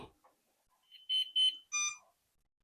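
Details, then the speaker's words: Flywing Bell 206 V3 RC helicopter controller, GPS unlocking in flight being investigated: three short high beeps in a quick run between quiet gaps. "now that beeping is because um from the uh baseball park to back to my house uh it took a while so um it's just letting me know that the helicopter is is still on so a reminder to turn it off unplug it"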